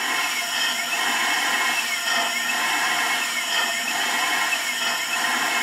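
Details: Proportional valve for a bartending robot on 5 V drive, air pressure raised from 60 to about 120-140 psi: steady, even rush of air with no chatter or stutter; the valve shifts fully and flows normally.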